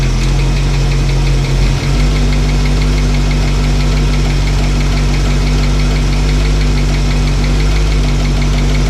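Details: Old truck V8 after cam break-in and new fuel line: loud rumbling idle with light fast tapping over it; previously adjusted chattering rocker is ticking again, likely loose, owner hopes it's not a lifter not pumping up.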